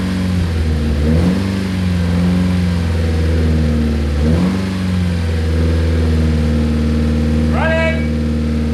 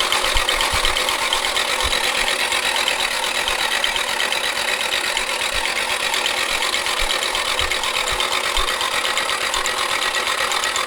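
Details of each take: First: Nissan 240SX S13 with SR20DET swap, first run after about 14 years sitting abandoned: a steady, even idle with a couple of clean throttle blips that rise and settle smoothly. No knocking or misfire; normal, healthy idle. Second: Nissan 240SX S13 with SR20DET swap, abandoned for years, fuel pump disconnected, starter powered directly: dry busy mechanical clatter over fast cranking, no firing; doesn't sound great, likely oil-starved top end, cause unconfirmed.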